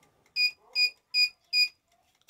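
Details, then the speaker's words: CNSWIPOWER 1500W pure sine inverter on batteries at about 28 V, an electric fryer switched on at maximum 200 °C pushing the load to 1600 W: four sharp high beeps about 0.4 s apart as it sounds its overload alarm and trips. "1600 ele bipou ele tá bipando aí com 1600 watts certo então ele tá bipando desarmou"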